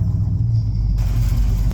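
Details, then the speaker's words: 1972 Ford F750 Super Pickup in neutral at idle, choke possibly on: low uneven lumpy firing, runs rough; coil measured only six volts, resistive lead suspected faulty, causing weak spark. "so as you can see she kind of sounds like hot garbage you know but it does kind of run so you know that's winning so"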